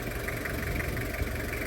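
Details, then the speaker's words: Toyota Kijang Krista diesel after a tune-up with injectors cleaned, idle at normal RPM: crisp, even diesel clatter with a steady beat and no irregular knocks, described as still very normal and "gurih"; a healthy engine. "RPM-nya normal. Suaranya bisa dengar sendiri, masih sangat normal, gurih."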